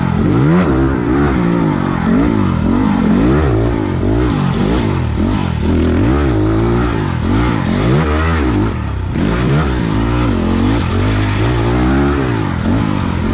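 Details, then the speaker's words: 2020 SSR SR300 Chinese four-stroke dirt bike fitted with a Lectron carburetor and idle raised, on a bumpy trail: smooth, even drone rising and falling with throttle, no stumble or bog at low revs. Running clean. "you guys can hear the bike it's just turn like a kitten it's getting the fuel it needs no more no less all i've done is raised the idol i got it the sweet spot"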